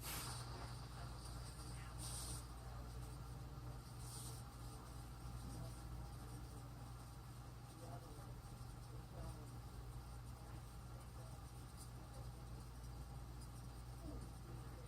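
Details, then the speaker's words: 53-inch Casablanca Spirit of Saturn ceiling fan before bearing replacement; steady low motor hum with a faint, uneven rubbing tick; worn bearing noise. "Wow. Yeah, I heard that bearing noise before. It was that bad before."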